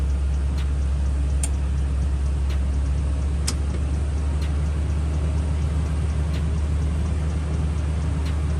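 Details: 2012 Toyota Tundra V8 idling after new water pump and thermostat, first start with coolant filled, bleeding toward operating temperature: steady deep low rumble, earlier noise gone, normal idle.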